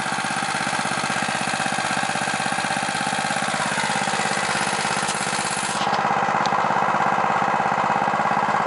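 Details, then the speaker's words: New stock Harbor Freight Predator 212cc OHV engine, warm, choke off, stock Ruixing carb, 87 octane, at full throttle factory maximum governed rpm: uneven pulsing as governor rocks back and forth; hunting, suspected from very lean mixture. "if you look at the governor there it's trying to compensate for a very lean mixture you see it rocking back and forth but that is the full full rpm maximum rpm set by the factory"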